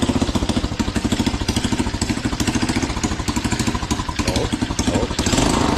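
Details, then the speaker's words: Drift quad: after a couple of gas squeezes it fires first try and settles into an even, steady putter of about eight beats a second, with no misses or knocks; healthy start and idle. "after a couple gas squeezes she'll fire right up first try but anyways this is mint this is mint"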